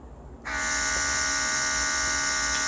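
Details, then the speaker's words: Autolock portable airbrush compressor kit on its second, faster speed: steady high-pitched motor whine with bright hiss, even throughout; normal running. "That's the second speed. You can hear the sounds. It's more so the level when the volume is up."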